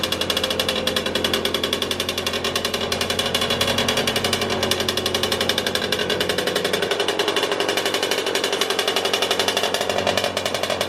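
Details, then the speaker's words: Motorynka two-stroke moped started after years of storage, no carburettor cleaning: fast crisp steady putter, no stumbling; runs normally. "mówię Nie chodź po tylu latach odpala normalnie bez czyszczenia gaźnika"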